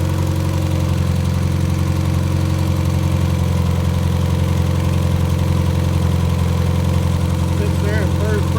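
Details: Fully rebuilt Triumph Spitfire 1500 engine on run test, electric fuel pump, about 1000 rpm idle, oil pressure around 80 falling toward 70 psi, not yet fully hot; steady even idle, smooth low drone, no knocks or ticks; healthy.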